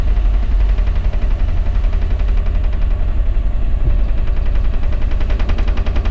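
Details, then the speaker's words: Dennis Dart bus crank-no-start: steady slow cranking, about three and a half turns a second, never catching because the fuel system loses its prime; cracking injector one off while cranking gets it started. "Open the bonnet, injector one, just crack it off slightly, crank it and it'll start pretty bloody quickly to be honest."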